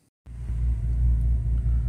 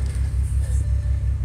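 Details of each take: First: 2006 Bentley Continental with check engine light and occasional rough running, after reseating the air box and mass airflow sensor coupler: low, steady rumble with even beat, no misses or hunting; normal idle. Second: 2006 Bentley Continental with check engine, traction and suspension lights, runs rough, hard brake pedal like vacuum loss: deep idle rumble with a lumpy uneven pulse about every fifth of a second, heard at the exhaust; misfire at idle.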